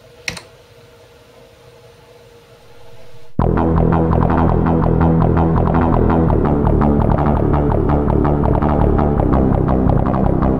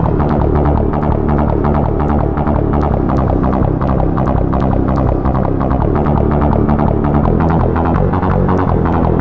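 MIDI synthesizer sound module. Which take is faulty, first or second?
second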